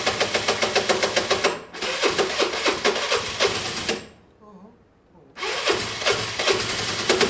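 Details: Yamaha TMAX 500 scooter obtained free, test ride: coarse, uneven, heavy chuffing that drops out briefly and returns. The owner thinks the engine is shot and suspects a whole-engine problem, not just the top end. Unconfirmed.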